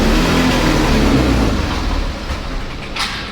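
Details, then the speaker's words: TVS Access 125 scooter misfiring after hose pipe replacement, suspected missing bush inside the hose pipe: engine revs roughly, jerks, then sags and dies out instead of holding speed when throttled, a lean stall. "बंद हो गई तो दोस्तों यह problem है मेरे पास"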